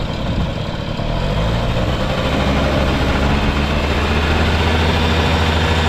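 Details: Honda Lead 90 (HF05-1025) vintage scooter engine idling: steady low putter, even and quiet throughout, no knocks or rattles; normal, healthy idle with no abnormal engine noise.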